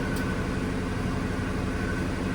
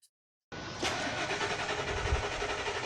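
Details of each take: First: Older Ford F150 that cranked but wouldn't start after sitting over a year, after diagnosis found power and ground at the tank: runs with a steady, even low rumble, no knocks, misses or squeals; no leaks, healthy. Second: Old Ford F-150 that sat over a year, fuel filter already replaced. The starter churns steadily about six seconds and never fires. A load test at the fuel pump relay during crank shows it needs a fuel pump: crank-no-start from a failed fuel pump.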